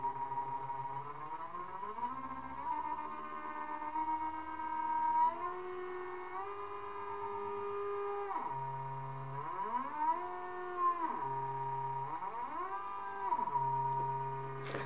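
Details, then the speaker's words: Large NEMA 34 stepper on Arduino with ST-M5045 driver, loaded with a 7 lb plate plus 2 lb steel blocks, running around 75 RPM then stopped quickly: whine rises and falls, then ragged stutter on the sudden stop as it skips steps. "now let's stop that quickly and see what happens so there we go that did not go well at"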